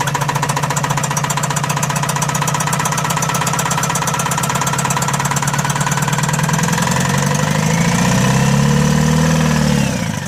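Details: Tata Mega XL diesel, two-cylinder: heavy rapid clatter at idle, then a rising whistle as revs climb before shutdown; knocking with turbo noise, turbo failure.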